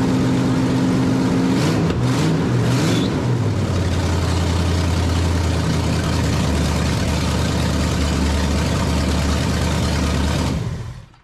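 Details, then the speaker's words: 1989 Dodge Ramcharger 383 V8 on open headers, newly fitted Pro Series distributor with changed advance springs, timing not yet set with a light: throttle blip then deep, steady, even lope and clean shutoff; running well. "hahaha that's what i'm talking about running good i haven't even put a timing light on it and it's running that good"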